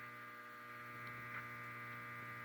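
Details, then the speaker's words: Heathkit DX-60 ham transmitter on the bench, high voltage disconnected, meter on the 6DE7 tube cathode: constant low electrical hum with a stack of steady tones and no rhythm as the oscillator is picked up. "That's a damn oscillator that's being picked up."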